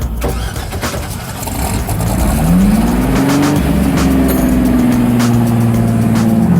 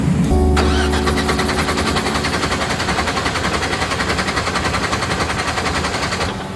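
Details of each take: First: Rotsun race car at 24 Hours of Lemons after the crew dialed in the engine: revs up cleanly and holds a smooth, steady pitch with no misses, pops or rattles; normal, strong revving, never run this good before. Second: Rotsun race car at 24 Hours of Lemons, died on track and shut right off: steady, even cranking at about three and a half beats a second with no firing; no start, no spark from loose MSD ignition box ground.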